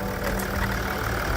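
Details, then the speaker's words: Range Rover Sport L320 3.0 V6 twin-turbo diesel after inlet manifold replacement for burst manifold (P1247/P006A, intermittent restricted performance): steady, even idle with smooth low rumble, no knocks or misses, nothing blown off; sounds healthy. "Yeah, she sounds good. Nothing's blown off it."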